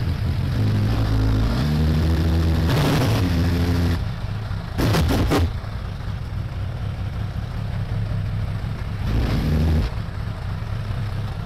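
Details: 2002 Suzuki Bandit 1200S four-cylinder after fixing a vacuum-port leak: lumpy stumbling idle with a couple of blips; still dropping cylinder number three, spark present, no fuel, number three carburetor likely at fault.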